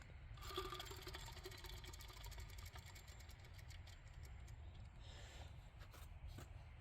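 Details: 2006 Jeep Liberty 3.7L V6, removed alternator spun by hand: dry, gritty rumble with rapid rattling tick from a worn alternator bearing, the source of the engine-bay noise.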